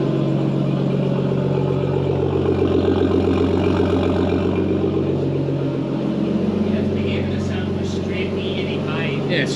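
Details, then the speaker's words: Nissan Skyline running E85, still cold, fires up well and settles into a steady, even idle with a firm low rumble. No puffing or ticking from the exhaust; sounds healthy. "85 still cold fires up way better than Hayden's car"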